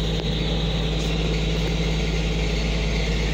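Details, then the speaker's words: Reefer truck refrigeration unit after microprocessor control board repair (memory IC U3 replaced), set point 4: steady even drone, smooth low hum, no knocks, rattles or squeals; running better, noise gone, normal running. "na ho, gumaganda na ang takbo, wala nang ingay."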